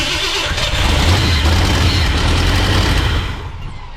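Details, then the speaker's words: 1968 Ford F100 after 4-barrel carburetor conversion and timing chain install: catches and runs lumpy and labouring with an uneven beat, then dies. Caused by a large vacuum leak, a thumb-size hole. "that is an issue with a vacuum leak somewhere crazy we figured out where our vacuum leak was coming from didn't we old man yeah about a thumb size hole"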